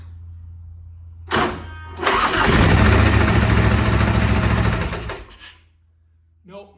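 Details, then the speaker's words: 1967 Harley-Davidson Shovelhead FLH, front cylinder/head, after pushrod readjustment: fast, sharp ticking clatter over idle, about three a second, still present; loose rocker arm bearings suspected. "big uh big clicking noise still so got to dig a little bit deeper"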